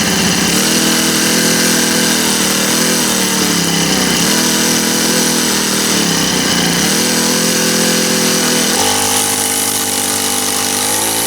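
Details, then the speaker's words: Honda GX25 four-stroke trimmer, about 20 years old, after service and refuelled with straight gas, idling without throttle: buzzy, slightly uneven note settling higher near the end; runs normally, just likes warming up. "All right. Was running. Oh, didn't put any throttle on. Likes it warm up though."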